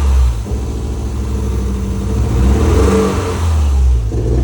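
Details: Toyota MR2: uneven idle with a stumbling beat and rough hesitant revs, misfire persisting after ignition leads were replaced; cause still unknown.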